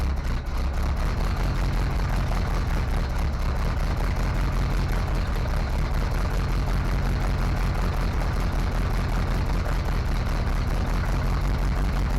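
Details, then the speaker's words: Chevy SBC 350 in a '55 Willys wagon build, first start after the new fuel pump failed out of the box and gas was added. It runs at a fast idle with a hissing rush over the firing; a major vacuum leak is suspected from an unplugged manifold hole. "Oh, you know what? I think we have a major vacuum leak. See if I can get the camera in there. That could have been the issue all along."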